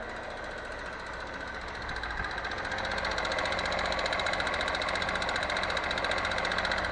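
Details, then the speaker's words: Crashed 2014 Honda CBF 125 said to need valve adjustment, first start after adding fuel: fast light metallic ticking rising with revs; timing chain, piston pin or crankshaft suspected, unconfirmed; engine knock. "so what do you think do we have a timing chain rattle a piston pin rattle or the crankshaft"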